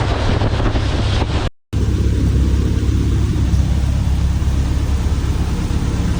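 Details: Thorp T-18 homebuilt airplane engine started after about six months unrun, with fresh fuel, a new starter, a charged battery, primed and throttle cracked. After one short stumble it settles into a steady, even drone under heavy prop-wind roar; runs normally.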